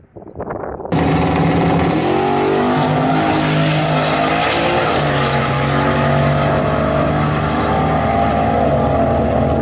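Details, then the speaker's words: 1974 turbo Camaro at the drag strip, engine screaming at full throttle with rising whistle, turning rough and breaking up badly under boost partway through the pull; owner suspects a blown header gasket. "I heard it breaking up. Oh, she broke up bad. That was the worst breakup we've had."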